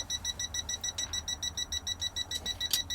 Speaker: right over there then let's have a look at the gauge beeping away difficult to get camera on it there you go so it's obviously not very happy about that